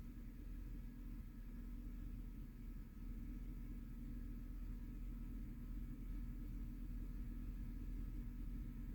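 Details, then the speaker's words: 2009 Chevy Silverado 5.3L V8 at idle with a low uneven rumble and a recurring stumble, misfire on cylinder 2 checked by oscilloscope. The spark plug is worn and burned, and swapping it from cylinder 6 moved the misfire to cylinder 2. "a ver si se alcanza a ver el cilindro dos es el que trae el misfire"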